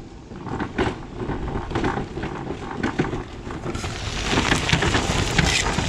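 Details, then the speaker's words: Permobil F3 power wheelchair, under 50 miles, driven over rough, bouncy ground: uneven rattles and clunks in bursts plus some wind noise; the suspension audibly makes noise. "Okay, so moderately bouncy, and you can hear that the suspension does in fact make noise. And this chair has less than 50 miles on it."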